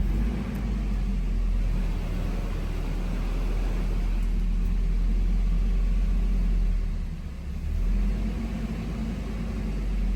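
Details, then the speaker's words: Nissan KA24 engine after restoration and swap, first start, straight cold start: steady even low rumble at cold idle under loud fan roar, no knocks or misses; runs pretty smooth and healthy. "This thing runs pretty good actually. Pretty smooth. Go. Going on straight cold start."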